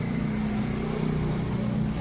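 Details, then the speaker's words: Royal Enfield Classic Reborn 350 after repair of a khat-khat clunk over bumps; silencer refitted, bike bounced while running, steady even low engine thump with no knocks or clunks, earlier noise gone. Normal running, no clunk. "पहले जो आवाज आ रही थी वो आवाज खत्म हो चुकी है"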